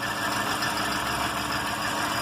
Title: Barulho na Zafira